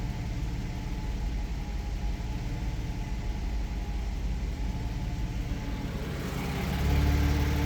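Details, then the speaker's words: 2002 Porsche 986 Boxster, not yet at operating temperature: idle hunts up by about 100 rpm. The suspected cause is an oil- and carbon-caked throttle body, to be cleaned along with the MAF. "so you can see you can hear it's it's hunting a little bit so uh yeah we're going to crack open the throttle body clean it up a little bit"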